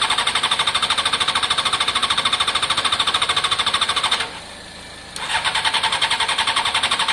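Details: Honda CBR600 F4i non-runner after injector cleaning: fast even starter cranking, roughly three beats a second, pauses, then cranks again without firing; cranks but won't start, fuel pump priming not heard, fuel supply suspected.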